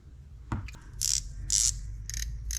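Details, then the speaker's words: Shimano Stella FE spinning reel, rough after long use, before service: short bursts of sharp, loud ratcheting drag clicks; clicker works but is loud; bearings later found worn out and replaced. "Dr clicker works but I don't know if you can hear it how loud it is it's it's pretty loud"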